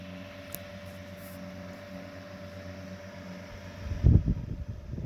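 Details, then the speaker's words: Restored 1920s GE 8-inch stationary desk fan, single speed, worn bearing held in place by a screw so the rotor won't touch the stator. Fairly quiet; steady mid-pitched GE whine over a low motor hum, no rattle or scrape. Healthy running. "It's got that cool GE whine sound"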